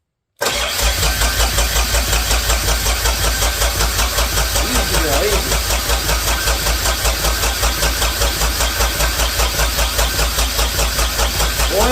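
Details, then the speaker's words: Freshly rebuilt Deutz F3M1011F three-cylinder diesel, oiled and cranked on the starter without firing; steady even compression pulses about four a second, healthy rhythmic normal cranking. "but she sounds pretty dang good I'll tell you healthy very rhythmic across"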